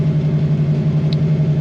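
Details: Fox body Mustang with Holley carburetor and no choke, just after cold start, gauges not reading right while cold: deep, even burble with steady firing, no knocks or misses; normal cold idle of the V8.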